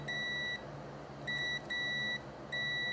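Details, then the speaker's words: 1991 Dodge Dakota SE 5.2L V8 wiper motor, blowing fuses: multimeter gives steady continuity beeps in bursts from motor to ground; armature shorted to body ground. "This should not be giving me a continuity beep. So somewhere in the motor itself we have a shorted armature. Therefore it's short to ground, shorts to body ground."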